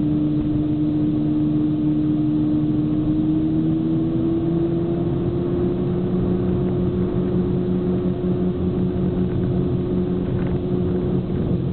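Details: Fiat Punto HGT while driving: steady low hum under road noise whose pitch climbs slightly, then holds with speed. The drone is suspected to come from a hub bearing, not confirmed.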